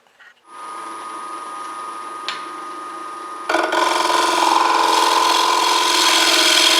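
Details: Wood lathe turning a box elder cookie platter, about nine inches across: a steady, even hiss of the tool shaving wood with no chatter or ringing. A clean, smooth cut.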